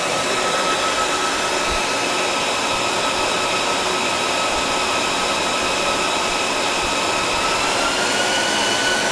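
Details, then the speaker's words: Dell PowerEdge 2950 II server in a room of about 20–25 degrees: a loud, even fan rush that rises in pitch as the cooling fans ramp up after a hard drive is pulled. "so if you if i take this hard drive off of the uh button here you'll hear it ramp up"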